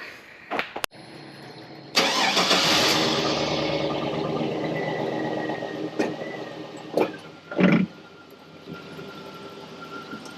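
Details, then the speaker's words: 2001 Chevrolet Silverado with a lifter tick, after a Seafoam and Lucas treatment: short crank, quick catch, then a smooth, even idle with no top-end ticking; a normal start and idle. "it's the best that sounded in the year I've owned it now oh yeah"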